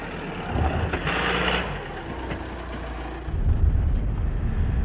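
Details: VW Amarok diesel idling after cracked cylinder head replacement, no dash warning lights: rough clatter rising and falling with some handling noise, but no knocks or misses stand out; normal idle, sounds like it's running fine.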